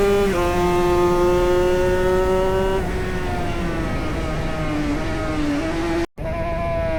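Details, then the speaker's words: Two-stroke racing motorcycle at Snetterton CRMC round 3 during a race, rider first suspected gear-change issues: high wail with revs rising, then sudden drops and flares mid-pull; worn gearbox jumping out of gear under racing load. "obviously the issues that I thought were with my gear changing turned out to be a worn gearbox, and you can hear the gearbox starting to play up and jump gears in this race."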